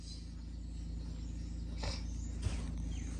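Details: 1999–2006 Chevrolet Silverado V8 idling just after an Airaid cold air intake install, with the mass airflow sensor reseated fully. Low, even rumble with a steady beat, no knocks, ticks or hiss; normal idle, sounds pretty good.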